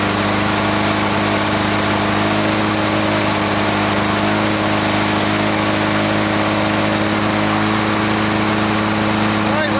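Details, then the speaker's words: 1980s Lawn-Boy two-stroke mower after cleaning repair, previously wouldn't run after running out of fuel: steady high buzzing drone at even pitch, tach about 3480 rpm, no stumbling or hunting; fine per label, running fine. "run foreign RPM she runs 34.80 which is fine it feels like the throttle is back or at least according to the label"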